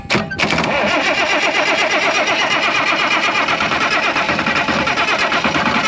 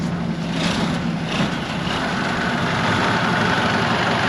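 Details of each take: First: IH 915 combine, unmoved for about a dozen years, starter solenoid hotwired: long steady starter grind with a rapid even chug that never catches; cranks but won't start, the hotwire lead came off, fuel supply also suspected. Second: IH 915 combine, unmoved for about a dozen years, with the fuel system primed: steady low diesel rumble at idle with an even beat, no knocks or misses; air still in the system.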